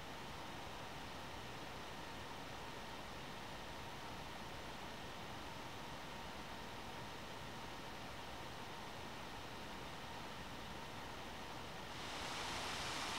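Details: One Mix 2S Yoga mini laptop under Prime95 CPU load, microphone close to the fan: constant airy hiss with faint steady whistle, swelling louder near the end; fan at maximum speed, normal.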